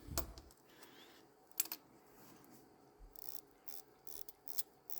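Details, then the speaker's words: Vintage Rolex Oyster Royal, calibre 1210, while hand-winding: faint uneven ratchet clicks as the broken mainspring slips; balance staff also broken, watch stopped. "Yeah. Slipping there. So the main strings broke and the balance broke."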